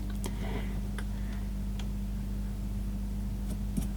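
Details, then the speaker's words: Panasonic/National RX-CW26 boombox cassette deck after the repair: only a soft, steady motor hum, with the scraping gone now that the pulley no longer rubs against the capstan. "yeah no more scraping sound because he pull this thing is fixed now that was just scraping against the Capstone"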